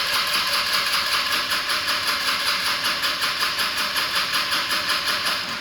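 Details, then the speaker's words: Kia Stonic (KX1) in China: starter turns engine evenly at about 2.5 pulses a second with a strong battery but never catches; cranks no-start, suspected no fuel or no spark, not confirmed. "in fact that sounds as if there's a pretty strong battery in there and even the starter motor doesn't sound embarrassing let's listen again strong battery just no fuel or no spark possibly"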